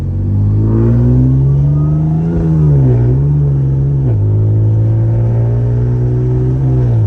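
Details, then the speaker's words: Newly rebuilt Audi S5 under acceleration, running with zero check engine lights: deep even exhaust note climbing smoothly with revs, no knocks or rattles; likened to a GTR, healthy engine. "This car sounds like a GTR, y'all. Like, I'm not even kidding. It sounds just like a GTR."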